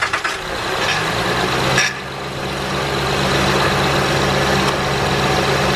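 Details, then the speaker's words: 2008 Honda Pilot SE after its bad power steering pump was replaced with a new one: a steady, even, smooth idle with no squeaking, squeal or whine; normal idle, and steering is no longer hard. "whatever so there you have it folks it takes like 40 minutes to do no squeaking it's not hard anymore smooth"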